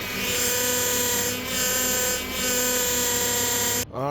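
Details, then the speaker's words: 2005 Honda Accord with K-series engine: steady, piercing power steering squeal and creak, then a quick rising whine, from air bubbles seeping into the power steering system; fixed with a Dorman part. "So what you just heard was the power steering squeaking and creaking. Apparently this is a problem that happens in Hondas that have that K series. The power steering tends to seep air in and let air bubbles in."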